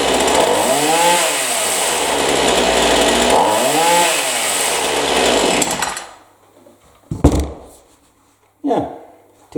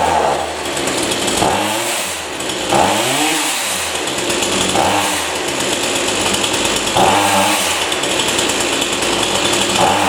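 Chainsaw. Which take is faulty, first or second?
second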